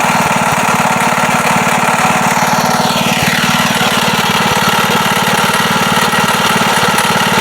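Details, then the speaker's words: Wisconsin single-cylinder engine, long unused and leaking oil and fuel: loud, fast beat with a hard knock riding each firing stroke. Slight play apparently in the rod at the crank is the likely cause of the knocking. Rod knock. "it sounds like there's a slight bit of play in the rod down at the crank, and that would probably be the knocking when it's running."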